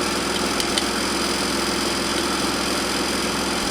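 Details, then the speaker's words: Honda GC190 pressure washer engine after carburetor cleaning, previously would only run on choke: steady, even single-cylinder note with no surging or stumbling; now running smoothly. "that sounds better"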